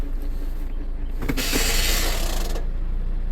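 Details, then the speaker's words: 2011 Mazda 6, nearly 200,000 miles, towed in not moving: engine revving in gear with rapid metallic clatter, about three or four clicks a second, speedometer not moving; noise identified as the park pawl ratcheting, drivetrain failure. "That noise is the park pawl. The park pawl is what holds your car in park."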